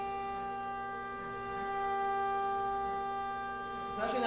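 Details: Aluminum CNC milling, adaptive toolpath after helical plunge, 50 inches per minute feed with air blast: steady clean singing tone holding even through the cut, no rattle; stock held firmly and machine coping, normal cutting without chatter.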